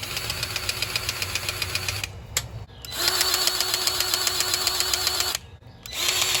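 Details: Kubota L3000DT diesel tractor after a used replacement engine was fitted and serviced: steady idle with an even, quick clatter of about four beats a second and no misses; normal healthy idle.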